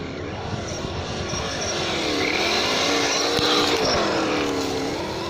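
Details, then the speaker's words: Losi Baja Rey RC trophy truck, stock motor and ESC on 2S LiPo, run on gravel and sand: a high, scratchy screech rises and falls with throttle over the motor whine. Gravel trapped at the rear driveshaft is scratching the drive cup. "That's where all the gravel gets stuck. Okay? And then when you throttle, it scratches the drive cup. So that's why you hear all that screechy noises."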